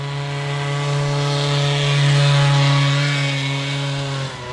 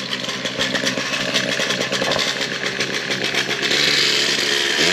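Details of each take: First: Old Bigfoot GoPed two-stroke that sat over 4 years, now running much better after the carburetor air adjustment was tweaked. Steady, smooth, even high buzz with no stumbles; running well. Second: Old Bigfoot GoPed two-stroke running after sitting over 4 years, still needs fine tuning. High, raspy buzz stumbles and wavers instead of holding revs; bogging and running rough.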